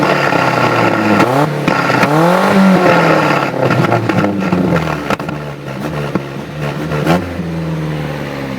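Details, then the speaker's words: Nissan D21 with NAP-Z dual-plug 2.4, ignition kill switch in the cab cutting the coil positive feed mid-rev: revs rise and fall with sharp pops and flames out the exhaust each cut; deliberate backfire, flame colour varies with throttle. "all you gotta do you flip a kill switch and then you flip back on so your motor don't die but every time you flip your kill switch it's gonna [ __ ] fire out that exhaust like that"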